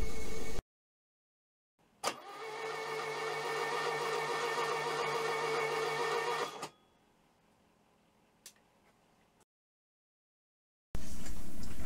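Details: Rebuilt VW 1641 air-cooled flat-four, pushrods and rockers just installed, starter cranking during the compression test: about 4.5 seconds of even, steady cranking with no catches or knocks. Engine turns over freely; normal cranking.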